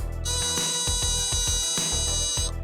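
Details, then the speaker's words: Mazda R100 warning light buzzer relay bench tested alongside the hazard light switch gives a loud shrill buzz for about two seconds with quick pulsing underneath, then cuts off; warning buzzer working. "this will go off and it'll just be really loud and noise"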